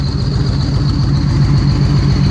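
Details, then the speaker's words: 2013 Victory Cross Country supercharged V-twin after the plug, coil and plug wire fixes: even loping idle pulses with a steady supercharger whine above, a normal healthy idle; the blow-off valve also puffs with each cylinder when riding. "but he definitely has a different sound tour with that supercharger you can hear all that supercharger noise blowing on there"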